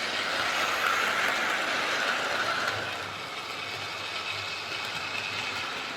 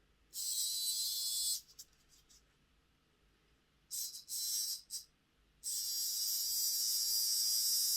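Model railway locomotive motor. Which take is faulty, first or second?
second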